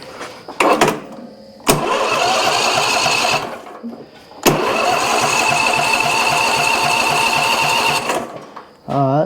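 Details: Junkyard John Deere zero-turn mower with a Briggs & Stratton V-twin and no gas in it. The starter is jumped across the suspected melted solenoid with a wrench. Two long bursts of steady cranking with the engine spinning freely but never catching; the starter works, but there is no fuel.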